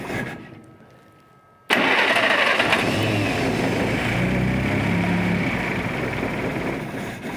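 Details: 1947 Willys CJ-2A engine, unrun for 30 years, after soaking low-compression cylinders in Mystery Oil: quiet, then starter catches and settles straight into steady, even idle with no knocks or misses.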